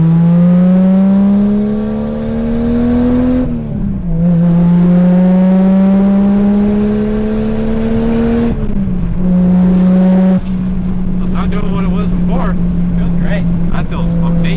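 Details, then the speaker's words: Lexus IS300 with 1JZ swap on stock turbo, drive-by-wire throttle issues: repeated free revs climb smoothly making 5 psi boost and drop back cleanly, no knocks or misses; healthy crisp rev. "that sounds so good. Just revving it. Just revving this thing, 5 pounds of boost on the stock turbo."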